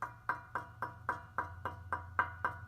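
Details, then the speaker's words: Mazda Miata with Goodwin Racing Helmholtz exhaust: light knuckle taps on the muffler/mid pipe die out at once with no ringing; solid shell, not the source of the metallic rasp. "Back in the muffler or the mid pipe, nothing. Nice solid."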